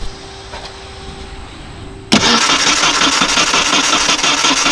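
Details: $350 Ford Ranger with low fuel pressure despite a clicking fuel pump relay: after a quiet moment the starter cranks steadily and fast but the engine never fires; fuel delivery suspected, unconfirmed.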